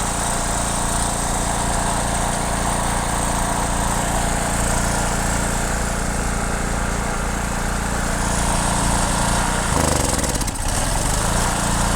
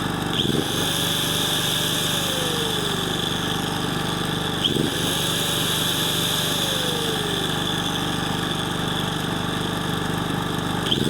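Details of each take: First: Generator (said to be German) runs only on choke, holding a steady drone with brief speed dips, and stalls when the choke is reduced. A clogged carburetor is suspected, so the carburetor is removed and its jets cleaned. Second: Portable petrol generator after carburetor cleaning and full linkage readjustment, now running without choke, loaded by an approx. 800 W angle grinder: steady engine note holds speed without surging as the grinder spins up and down; runs well under load.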